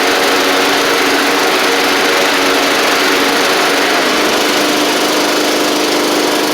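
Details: Troy-Bilt Pony mower with swapped-in Briggs & Stratton flathead (replacing Powermore; new Briggs carburetor, 12.5hp air filter), final test with hood back on and fresh oil: steady, even buzz at constant speed, no misses, knocks or rattles; normal running.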